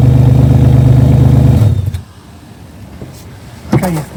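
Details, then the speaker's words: Modified Porsche 911 996 bought on eBay with an MOT advisory for exhaust noise, started on a tripod. Very loud, deep blaring exhaust under revs, almost as if it has no exhaust, with pops and bangs; a whistle suggests a suspected air leak. "So, the exhaust is super loud. I mean, it's almost like it doesn't have an exhaust, to be honest."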